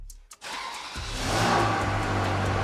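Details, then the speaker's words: Abandoned Ferrari 360 Spider being rebuilt, started after replacing the lambda sensor and with the mass airflow sensors disconnected again: brief crank, then a clean steady run with no stumble; runs well, with the engine management light oddly off. "Now it sounds good again. No lights, which is also very odd because, yeah, the engine management light should actually be on."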